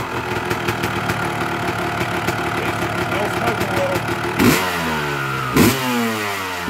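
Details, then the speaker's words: 2000 Honda CR250R two-stroke, just kick-started in for diagnosis: crackles at uneven idle, sharp revs falling back unevenly, only just got it to idle; rough idle and hesitation, clogged pipe or muffler spark arrestor suspected. "and I just got it to idle it wasn't idle earlier"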